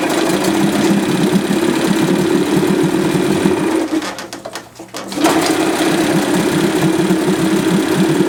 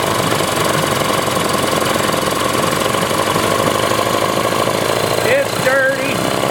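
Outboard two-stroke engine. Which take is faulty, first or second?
second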